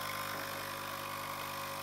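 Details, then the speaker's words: Francis Francis X6 espresso machine, descaled with vinegar and heated, pump primed: steady buzzing drone with no sign of water moving; vibration pump running with no water flow, suspected dirty check valve. "not getting any watering okay we still have an issue here but we don't get water trough"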